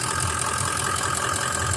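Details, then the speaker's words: Truck idling after a loose fuel pump pigtail connection was restored: even, constant idle with a steady faint whine on top and no stumbling; sounds good, running properly. "Sounds good right now. That's awesome."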